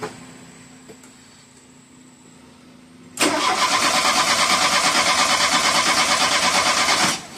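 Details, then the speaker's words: 1985 Dodge Shelby Charger revived after 30 years, new injector harness, timing being adjusted; engine catches abruptly, settles into a lumpy pulsing beat; rough running on start-up, idling very high, timing suspected. "So, messing with the timing a little bit. Hasn't gotten us too far yet, but it's running but idling super high. Can't get much throttle yet."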